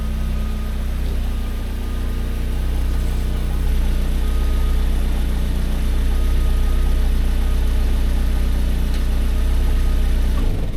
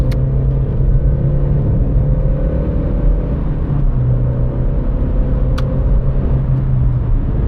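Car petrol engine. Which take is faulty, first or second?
first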